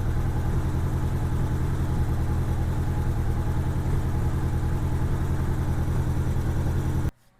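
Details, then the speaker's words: 1987 Honda GL1200 after carburetor rebuild, warmed up with choke fully off: steady idle with uneven pulsing beat and occasional pops; popping persists, cause not yet found; intermittent exhaust popping. "Okay, choke's all the way off. Yeah, it's popping a little bit still."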